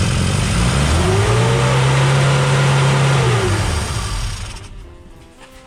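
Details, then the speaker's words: 1959 Austin Healey Sprite small four-cylinder after engine rebuild; ignition 180 degrees out fixed by resetting points and swapping plug leads; steady even low drone, no misfire, running as it should after first start. "That's what I call success. Yeah. And it even sounds like it's supposed to."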